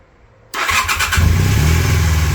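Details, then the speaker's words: 1981 Honda CM400 twin, first start after sitting since 2000, on starting fluid while dry carbs refill: after cranking it catches suddenly, runs rough and uneven, barely holding on; fuel starvation suspected. Stumbling start. "Sounds like one's hitting. Alright, give her another snort. See what happens. Might take a little while for them carbs to fill back up."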